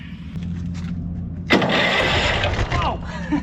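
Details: Honda Harmony lawn tractor found on the curb, starter suspected sticky and soaked with penetrant: starter whirs and engages at about 1.5 s, cranking briskly with an even, healthy churn; normal cranking.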